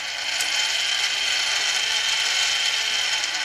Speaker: працює нормально Окей Слава Богу